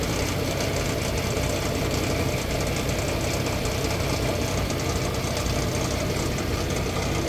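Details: 2006 Nissan Xterra, 156k miles, hot engine at 750 rpm idle: dull, irregular knock low in the block, two or three a second; quiet at 900 rpm and when cold, no chain noise, oil light on after 30 minutes; cause unknown.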